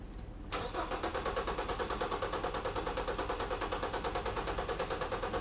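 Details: 2014 Ford Fusion cranking with the fuel pump relay pulled for a relative compression test: steady starter chug, about three pulses a second, each stroke even; compression sounds balanced across cylinders.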